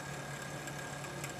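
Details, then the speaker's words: Antec computer case, rear 120 mm case fan with three-speed switch getting louder: steady hum with faint rough grinding, no speed change; failing fan, replaced. "It sounds like the rear fan on my computer here is going, because starting to get a little bit of a grinding sound."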